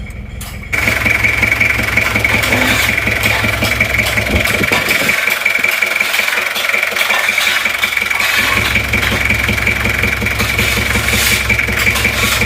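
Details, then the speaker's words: Toyota Kijang LGX diesel at idle with a rough "bok bok" puffing about three times a second at the air filter, louder with the filter off, like compression blowing back into the intake manifold; cause is intake valve leakage from tight valve clearance. "Kalau dibuka filter udaranya itu malah suara blok-blok nya itu malah semakin kencang ini seperti kompresi balik ke Puncak manifold"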